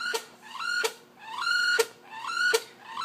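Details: Laptop giving a loud, repeating mechanical shriek that rises in pitch, about 80 times a minute, from inside the case; owner assumes the hard drive is at fault, unconfirmed.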